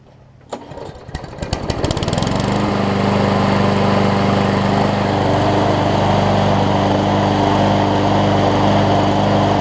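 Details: Scotts push mower with a Briggs & Stratton Quantum engine, after a carb clean (it had a fuel leak) and a replaced self-propel lever: a few pulls, then it catches and settles into a smooth, even, steady run with no misses or knocks. Normal running.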